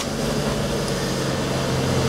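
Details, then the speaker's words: 2002 Chevy Cavalier after crank-no-start with no PCM communication, traced to a fuse problem; engine now starts and runs with a smooth, even idle and constant low hum, no knocks or stumbles: normal idle. "you see we are running and so our problem is an issue with the fuse"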